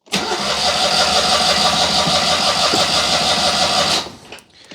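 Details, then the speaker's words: Citroën 2CV with electronic ignition, conked out and wouldn't restart, choke set, neutral, no throttle: starter spins about four seconds with no firing; crank no start, spark tester later shows no spark; ignition unit suspected. "absolutely diddly squat so we need to ask ourselves is it the fuel that's the problem or is it the ignition side of things"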